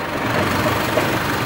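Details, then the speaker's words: 1958 Toyota Bandeirante 4x4 after a complete transmission overhaul, rear driveshaft spinning: a steady, even hum with no clunks or grinding; the drivetrain runs smoothly. "roçado grande vontade cardan traseiro rodando funcionando bonitinho certo"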